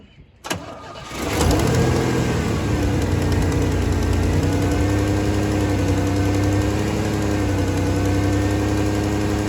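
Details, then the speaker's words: Third-gen Pontiac Firebird revived after years rotting in a field: short crank, catches at once, settles into an even, steady idle with no knocks or misses; running well, no leaks. "All right, it's running good. It's not leaking anywhere."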